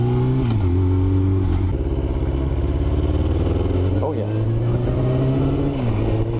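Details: Yamaha R6 sport bike: engine stumbles and pops unevenly at low RPM, misfire; solved, ignition coils were not pressed down fully during installation, running perfectly after reseating.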